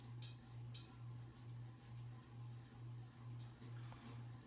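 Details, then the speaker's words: 1988-era 52-inch View fan model V652 ceiling fan on medium: low motor hum swells and fades about twice a second with light clinks from badly worn, noisy motor bearings; blades out of balance cause wobble. "It's still noisy as hell though. You can hear those horrible bearings."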